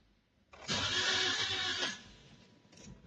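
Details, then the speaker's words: Toyota Vios/Avanza 1NR engine, 2023 model, suddenly won't start, battery fine: brief fast even starter whir with no firing; low compression, a common issue with this engine; oil into spark plug holes planned. "So ito yung kanyang tunog para siyang lose compression. Ito start natin."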